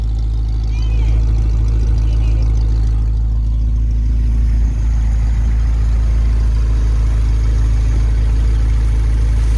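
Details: 1951 Pontiac Chieftain engine idling while warming up to temperature after coolant fill: deep, steady, even rumble, no misses; no coolant or oil leaks seen, sounds healthy.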